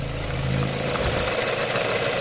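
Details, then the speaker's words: 2008 Ford Fusion bought at auction with a transmission hiccup: engine purring at idle, steady smooth low hum, no knocks, ticks or misses; oil cap pressure check suggests no blown head gasket; normal idle. "I mean listen to that engine it's just purring no noise whatsoever quiet"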